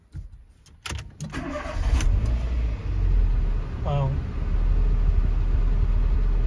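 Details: Renault Twingo II after replacing all four spark plugs to cure a P0300 random misfire (water found around the plugs). A few clicks, then a quick start and a steady, even idle; fault code did not return.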